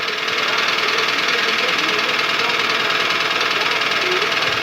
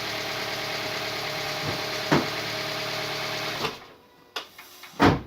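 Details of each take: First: Toyota petrol engine (2SZ per title, 2AZ per speech) idling with a steady hollow knock about three a second, piston slap. It eases as the engine warms but persists hot; decarbonizing with Dimexide didn't help. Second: Toyota Vitz 2SZ engine after repair of a knock that persisted when hot, freshly filled with coolant and oil: smooth, steady, even idle with no knocking, then switched off.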